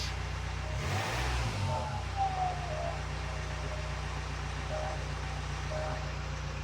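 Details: Jaguar F-Pace 204DTD Ingenium diesel after turbo cartridge replacement with cheap Chinese core for a suspected turbo whine, revved hard: faint high whine over the drone rising and falling with revs; noise returns, somewhat quieter, cause not pinned down.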